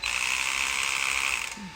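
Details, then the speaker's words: Traxxas X-Maxx RC electric motor under light throttle: harsh high rattling grind, suspected worn motor bearings, likely the front one, before bearing replacement. "sounds like something's moving around quite a bit or grinding almost we're gonna shut it off take a look my assumption is motor bearings"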